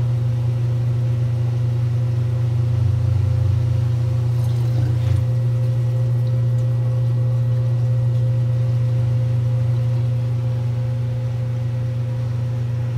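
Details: 1978 Kenmore 70 Series washer with new-old-stock motor, belt and pulley, spinning then braking: steady low hum with a short dip on braking, no squeal, slap or grinding from the drive; healthy spin and brake.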